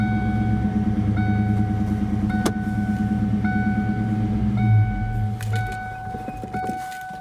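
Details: 1998 Cobra, owner suspects throw-out bearing failed, clutch pedal not right: steady high whine over rough idle persisting as it settles; whine with engine running, cause suspected, not confirmed.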